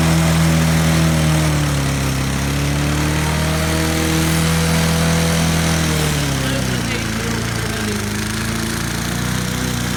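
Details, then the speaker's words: Snapper self-propelled lawnmower, about 10 years old: engine roars flat out with wavering pitch, never settling to idle; a broken linkage piece where the choke holds has come off, leaving the throttle stuck wide open. Engine also knocking, popping and backfiring. "affect how it runs that's why it's running wide open because that piece is gone"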